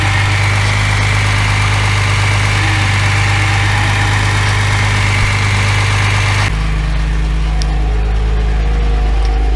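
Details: Freshened-up Mercedes W114 engine, refitted, on its official first start after running badly with timing very retarded: even, steady idle rumble settling lower partway, no miss or knock, no smoke; normal idle.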